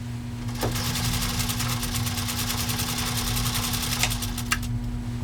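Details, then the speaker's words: 1942 Singer 201-2 sewing machine stitching through 8 layers of heavy grade denim. A fast, even stitching rhythm with a steady motor hum, no straining, grinding or hiccup: healthy under heavy load. "Could you hear the machine straining, the grinding, the breaking of gears, the moaning, the crying out for help? Help, help, Scott's abusing me! No. The machine didn't even make a hiccup or a sound with 8 layers of heavy grade denim."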